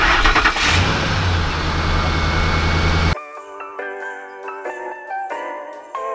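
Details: 2005 Ford F-150 5.4L Triton V8, which had a loud machine-gun knock on start-up from dry starts, after adding Lucas oil stabilizer: cranks, catches and settles into a smooth idle with no knocking; music follows.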